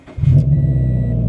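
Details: Nissan 350Z bought non-running, revived after sitting about five months: brief deep even rumble settling into a steady idle with no knocks or misses; engine sounds healthy.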